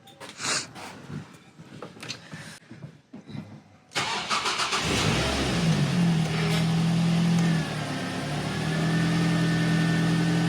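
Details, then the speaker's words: Ford Fiesta ST150 after clutch replacement: engine catches and settles to idle with a steady mid-pitched whirring drone over it; described as grinding, power steering pump suggested, source unconfirmed; abnormal noise after start. "That was a very very funny sound upon start. The car started >> [snorts] >> um in first. It was all good. The clutch seems to work but then we heard like a noise."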